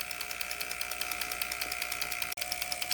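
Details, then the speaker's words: Junkyard ABS unit on homemade oscillator/flip-flop bleeder for a 1996 Land Rover Discovery, pump motor running about 10 minutes while solenoids cycle: steady high whir with crisp even clicks about three per second; stays cool, fuses intact; normal operation. "well we've had it running for about 10 minutes nothing's hot fuses aren't blown it's time to shut it off"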